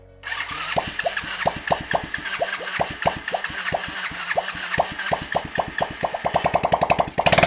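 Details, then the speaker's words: Kids' 110cc quad after rebuild, first start via the starter button: quick even pops settle into a steady light idle; starts and runs fine. "Great success. We have a quad that works."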